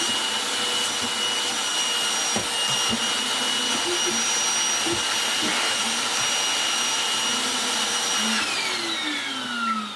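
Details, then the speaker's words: Goblin Solo vacuum cleaner fitted with a replacement dome motor, thought to be 1000 W, after the original broke: steady high motor roar with a falling whistle as it spins down, an annoying wind-down noise that was not there before. "Wasn't making that annoying wind down sound before, but it is now."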